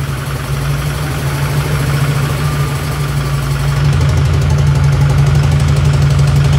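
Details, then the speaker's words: Newly built SoCal Diesel twin-turbo 1,000hp Duramax idling lumpy and uneven with missed beats. An infrared thermometer found three dead cylinders, traced to an unpinned wiring harness causing the misfire. "maybe there's sounds like there's a couple followed up cylinders and yeah that's exactly what it was seeming like"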